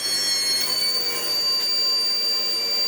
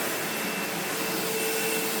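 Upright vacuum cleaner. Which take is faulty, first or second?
first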